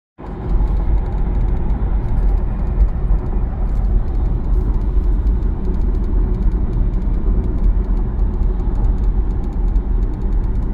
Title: GLC X254 rattling noise